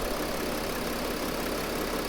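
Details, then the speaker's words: 2007-2010 Mercedes Sprinter NCV3 diesel idle after reseating the separated turbo resonator; now only a turbo whistle instead of a lot of air escaping, steady airy hiss; fix unconfirmed until road test. "I think that pushing the resonator pieces together really helped quiet it down and bring out more engine noise and less turbo noise now there's just a turbo whistle versus a lot of air escaping"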